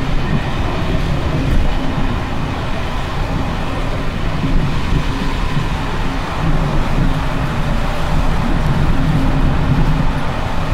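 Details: Evening express run on Czech line 190 (České Budějovice–Plzeň), between Hluboká nad Vltavou and Číčenice, in coach Bd264 481 (built 1979), recorded from the compartment or an open window. Heavy low rumble with constant loose rattling over the joints as worn Görlitz V bogie brake rigging bounces.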